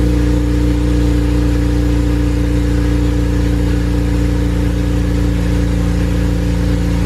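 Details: Honda Civic Si with a freshly built K20A engine, new exhaust and modified wiring harness, first run with laptop logging data: even, steady drone at constant pitch with no knocks, misses or rattles; the engine runs normally.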